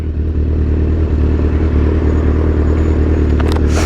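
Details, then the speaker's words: Motorbike with 27,000 miles at low rpm in sixth gear, now fixed: a deep, steady drone under load that pulls evenly with no stutter or misfire. It dislikes low RPMs, which is normal lugging; the earlier stuttering is gone. "but yeah you can hear that it don't like being a 6 thou uh uh six gear low RPMs but it's not stuttering"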